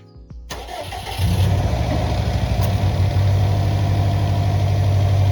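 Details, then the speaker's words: Subaru Impreza started right after an engine oil and oil filter change, given light 2000 rpm blips to prime the oil circuit and fill the filter; catches quickly, settles into a smooth even idle, no knocks. "Voilà, le circuit d'huile est bien amorcé, le filtre à huile est rempli."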